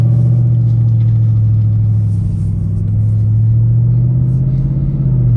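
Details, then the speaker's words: Dodge Charger Scat Pack Widebody V8 driving after fixing active exhaust valve squeak (occurred at low speeds and startup, eco and sport modes): deep drone rising and falling evenly with throttle, no squeak. "So good. I ain't heard not one squeak. I'm happy with that, man"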